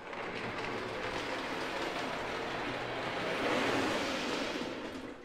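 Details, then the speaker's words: O gauge diesel locomotive after lubrication with grease, test run on track pulling a bay window caboose; soft even rolling hum with no grinding or surging, much smoother and quieter than before. "Much smoother than before. It's also much quieter."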